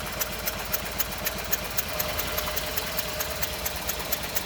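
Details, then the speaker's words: 2011 Renault Sandero: very slow idle with uneven thumps and dropping beats, engine shaking, no power in acceleration; bad misfire with low rpm, cause not yet diagnosed. "hey guys I'm driving a sandero 2011 model as you can see it's idling very very very low and it's Miss very badly in the engine as you can see it's shaking"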